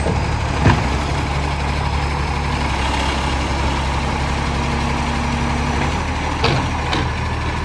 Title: City of Joondalup loud roaring accco SL061 exhaust leak